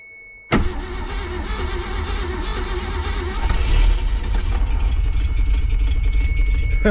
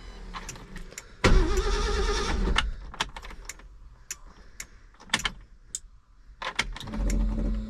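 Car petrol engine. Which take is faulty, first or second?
first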